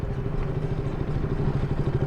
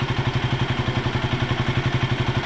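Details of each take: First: KTM Duke 200 BS4 single: rapid metallic tapping over the idle that starts only once the engine is warm, "like a tractor"; a cam chain tensioner (adjuster) rattle from a slack cam chain. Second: KTM Duke 200 BS4 single-cylinder idling with a steady, even pulse and no chain rattle or tapping; previously had a tak-tak tapping noise, now sounds healthy.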